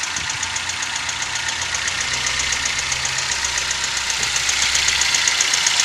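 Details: Toyota 1NZ-FE engine at idle: fast, regular, sharp high-pitched metallic ticking around 230 per minute over a hissy idle, a top-end knock; owner has been told it may be the timing chain and VVT-i coupler, unconfirmed.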